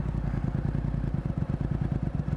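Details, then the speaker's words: Yamaha MT, stationary with brake held: steady thumping idle that sags slightly in rpm as the clutch is eased out, marking the clutch friction point. "잘 봐요 약간 엔진 소리를 잘 들어 보세요 어 이게 디지털 터라서 잘 볼 수가 없는데 소리로 들으면은 약간 일정하다 RPM이 떨어지려고 해요 그죠"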